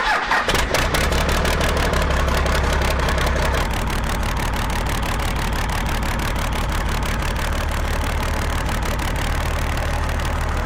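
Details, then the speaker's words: Cummins 6BT diesel swapped into a Jeep Wagoneer, first start after finishing the cooling system (a suspected return-line fuel leak was noted): brief crank, fires almost at once, steady even diesel clatter at idle, no misses. "we're gonna crank it up Emilie's gonna get teared for the first time and it may fire right up"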